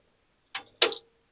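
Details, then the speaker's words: 1950 Chevy truck, newly wired fuel pump primed off the battery at key-on: a short whirring buzz under a second, then cuts off cleanly; normal fuel pump prime. "if I connect positive and negative battery turn the key we should hear that pump run okay battery's connected quiet on set hear that it's pumping"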